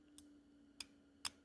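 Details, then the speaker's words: Mercedes OM617 turbo diesel timing chain tensioner off the engine: three crisp ratchet clicks about half a second apart as the plunger is pushed in. Each click is the internal lock engaging normally. "And notice as I push this in, you'll hear some clicking noises."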